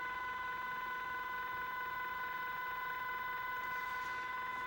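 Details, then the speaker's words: Interference on 27.395 MHz CB band, heard on all the owner's radios on that frequency so not one receiver: constant stacked electronic tone under faint hiss, pulsing about twice a second; source unknown, later drifted to 27.405–27.435 and stopped. "radio is on and up on two seven three nine five I'm hearing this noise I thought maybe somebody has some ideas you can tell me what it is"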